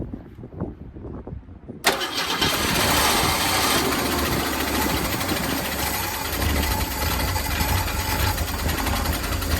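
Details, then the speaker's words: Old 1971 Ford Torino V8 being bottle-fed from a gas can because of a fuel delivery problem, not spark plugs: fires abruptly and runs loud and uneven, surging and sagging from fuel starvation; no valve train noise, small exhaust leak. "She's trying. She's definitely trying. Sounds good. I don't hear any valve train noise. A little exhaust leak over here, which is fairly common."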